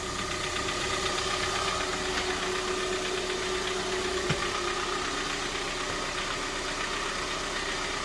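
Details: 2012 Kia Sorento 2.4 L four-cylinder idling after an oil change: an even hum with a light ticking patter on top and no heavy knock. Normal idle.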